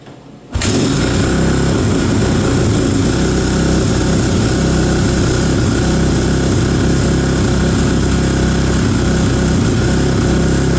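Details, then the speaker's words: Kawasaki KX450F, probably a 2007, after fresh fluids and tune-up, started cold in cold weather: fires within a second into fast, steady high idle with crisp even beat, some coolant burning off radiator; healthy. "all right got a little bit of uh coolant burning off of the radiator where we filled it up we're still at high idle it's uh it's cold here so"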